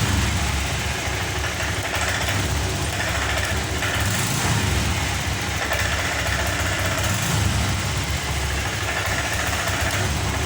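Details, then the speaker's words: Honda Vario 125 FI scooter won't rev: whether throttle is opened suddenly or slowly, engine bogs at a flat, unchanging drone and never climbs, sputtering (brebet) from a clogged fuel injector starving fuel. "Kali ini di hadapan saya ada Vario, yang mana Vario ini seperti yang kita lihat tadi teman-teman, bahwa motor ini tidak bisa digas. Jika digas spontan ataupun perlahan, motor ini gasnya tidak mau naik"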